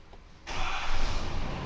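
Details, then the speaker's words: Ford F-450 6.7 Powerstroke high output diesel just after oil change with pre-filled filter: brief crank, catches at once and settles to smooth even idle with no ticking while oil primes; normal start-up. "Sounds good, no ticking or nothing. That's priming everything up."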